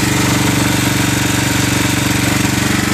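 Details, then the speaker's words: Generac 7000EXL generator converted to tri-fuel, running on propane from a 20 lb cylinder with idle control on (about 45–48 Hz): steady even low idle, regular firing, no misses or knocks; much smoother idle than on gasoline. "but as you can hear it's running very smooth even at a low idle"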